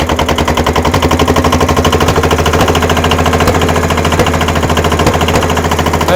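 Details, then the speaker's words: Kubota L210 21 hp diesel tractor on a cold start: uneven chugging with irregular pops and smoke as a low-compression cylinder tries to fire. It soon catches, the smoke clears and it runs well. "can hear that popping that popping is the other uh the other cylinder trying to kick in once it does it'll quit smoking it'll run good"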